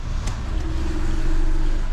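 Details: Alfa Romeo MiTo after clutch and failed dual-mass flywheel replacement: short crank catches at once and settles into a smooth, even low idle with no knocks or rattles; starts and idles fine.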